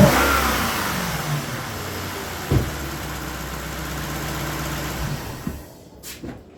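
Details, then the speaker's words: Lexus LS460 in for misfire, after the fix and codes cleared (check light still on, camshaft actuator circuit code): V8 settles into a steady, even idle with no stumble after a brief rev; normal idle. "Checking the light still on. Let's see what it's on for. But it sounds great."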